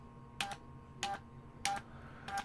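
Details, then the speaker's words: Homebuilt 7-band HF antenna switcher after backlash fixes: four crisp clicks, each with a short motor whine, about 0.6 s apart, ball bearing click then contact click; each step engages cleanly with no backlash. Normal switching clicks. "You can hear two clicks, the ball bearing, and then you can hear another click where the contact just happens to touch a sort of two clicks in there."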